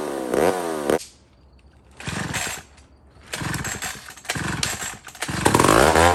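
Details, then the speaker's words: Old McCulloch 1-71 chainsaw after a major carb upgrade: carb rebuilt with jets from another carburetor, leaking gas line zip-tied, intake leak fixed with a double gasket. Sharp high-pitched revving bursts with short pauses, each blip climbing cleanly without bogging. Normal running. "took care of that and double gasketed our intake right there where where our leak was okay friends so we're tight let's try it"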